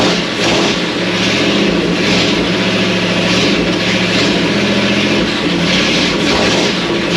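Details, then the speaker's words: First start of a 59AB flathead V8 in a 1937 Ford, no radiator or coolant, short exhaust: a loud, steady, even roar with no knocks. It runs on all eight with oil pressure, and the carburetor and timing may need slight adjustment. Normal running. "It seems to be running on 8 pretty good. The carburetor needs a little bit of adjustment. The timing might need just a little bit of adjustment there, but it seems to be pretty strong once it gets going."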